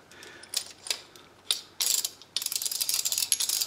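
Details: Fully reassembled 1960 Sturmey Archer 3-speed hub, bearings slightly tight with little play, oil nipple still to fit. Crisp, even pawl clicking in short bursts as it spins, with no grinding or rubbing, a healthy freewheel.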